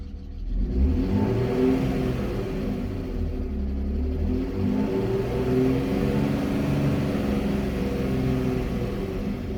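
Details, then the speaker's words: 1998 BMW E39 520i single VANOS after crank-no-start repair: steady low hum with a few gentle rises in revs, no misses or knocks; runs great now, no overheating or misfires, lifter tick gone. "Runs great now. No overheating, no misfires. Even the lifter tick is gone."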